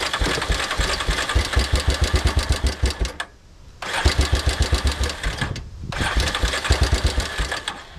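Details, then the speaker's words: Long-stored $100 four-wheeler, after switching the fuel tank from reserve to on: three short runs of fast, uneven popping, each catching briefly then dying. It has spark; the owner suspects poor fuel flow through the line to the carburetor. "it almost sounds like it starts as soon as you hit the starter switch well plan B figure out what the heck's going wrong why it won't run"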